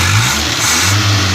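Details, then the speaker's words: Austin A40 Devon restomod petrol engine after about five minutes idling, throttle linkage binding: steady smooth note holding even through the rev, no knocks or misses, no real exhaust smoke, smells a little rich; healthy. "can hear the motor working pretty well it doesn't smoke"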